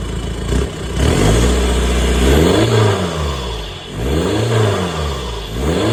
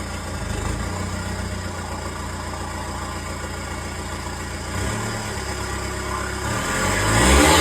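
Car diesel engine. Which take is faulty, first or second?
second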